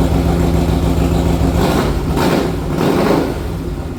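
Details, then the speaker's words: 1961 Harley-Davidson Panhead, ridden then run with throttle open while warming: uneven, lumpy chugging with irregular beats that won't smooth out; owner thought it wasn't getting enough gas, but the rough running is from an intake manifold leak. "Uh, it's chugging and bugging. Um, I mean, to me, it sounds like it's just not getting enough gas, but I don't know."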